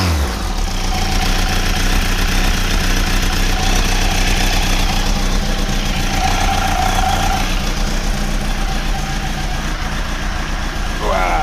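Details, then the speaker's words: Motorcycle after repair and oil refill, before a Europe tour: steady running with even throttle blips, no knock or rattle over the exhaust note; an earlier noise is now gone, sounds healthy. "I think we're good think we're good to go you know all feels good sounds good you know what I think we're going to Europe"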